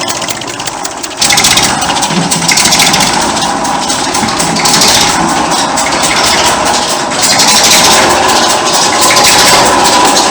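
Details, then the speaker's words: 1959 Fordson Dexta tractor diesel at steady idle: rough whirring grind over the clatter from the water pump at the front, being replaced; exhaust manifold leak near injector also present. "as well as that you can probably hear the water pump running at the front we've been replacing that"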